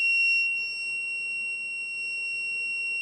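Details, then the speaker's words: Old spare thermostat for a LANAIR XT-75 waste oil heater, tested with a multimeter on buzzer mode: a steady high-pitched continuity beep the whole time, so the thermostat contacts are closed and conducting. "Yeah, we're on now. And it'll shut off here in a second."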